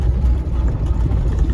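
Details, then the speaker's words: Junkyard automatic on a test drive: low, even engine rumble with no slipping, flaring or clunks between gears, engine smooth, AC cold; automatic transmission healthy. "Masih jos. Maticnya oke. Jadi kalau buat dibeli Maticnya mantep ini."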